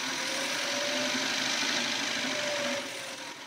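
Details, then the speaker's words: Electric motor module demo, running in reverse in first gear: steady mid-pitched motor whine with even hum, no knocks or grinding; normal. "that's the reverse pulling in and we're going to turn on the accelerator again now we're going backwards in first"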